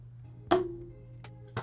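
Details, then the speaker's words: Ninebot Max G2 scooter, rattle over bumps from the battery deck: three sharp hollow clacks over a faint hum from a box held by only one screw; loose battery-deck module rattle. "oh exactly that's the noise right there this is what's been rattling this is exactly the noise"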